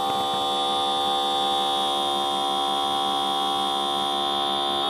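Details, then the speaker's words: Printer head/cartridge service vacuum machine with upgraded box cleaner, restarted after moving to head number two with other nozzles capped so no air enters: constant electric hum with high steady whine; normal vacuum pump running during head cleaning. "Oke sama ini nah ini proses pembersihan oke nah Ini kita bisa pindah lagi pindah lagi sesuai kebutuhan"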